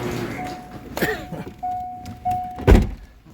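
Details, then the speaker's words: Corvette Z06 with 6.3 stroker and A&A supercharger, during fuel pump upgrade and hot-wire kit install: a steady mid-pitched hum cuts in and out between clunks as the key cycles; the fuel pump is priming and running normally. "That sounded like the pump's working. And that sounds a lot like the pump's working."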